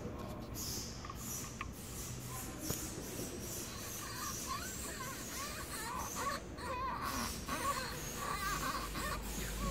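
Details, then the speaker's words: Toyota SW4 Flex at 70,000 service, fuel tank float sender that also wasn't reading: irregular squeaky creak as float arm is moved by hand, mic beside it, from pronounced play in the arm rod; sender replaced with original part. "Ó, esse ruído aí, ó. Esse rangido que vocês viram aí. Mais uma folga acentuada aqui na haste."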